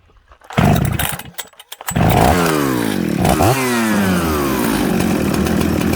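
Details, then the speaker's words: Husqvarna 266/Jonsered 630 Super mixmaster chainsaw after tuning, with the low jet richened and the high jet opened slightly: fires up, and revs climb and fall cleanly without bogging, settling into a steady, crisp run. Good running, idles and restarts well. "this is a good running saw"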